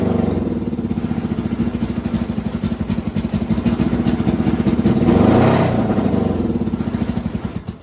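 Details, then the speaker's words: NasKart with a misfire, running after earlier failing to idle: uneven, stumbling beat and pops as revs rise and sag; misfire from fuel starvation. "There it is. That's the misfire right there. Wait a minute, why is the fuel pump off? So that actually sounded like fuel starvation from the switch being off."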